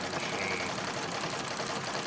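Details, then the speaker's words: Singer 66 treadle sewing machine during free-motion quilting: a rough, even growl runs under the fast stitching clatter, sounding dry and gritty; owner says it's time to oil it and clean the feed dog and bobbin case areas under the cover plate. "that's telling me that it's time to give it a little bit of oil and clean between taking the cover plate off"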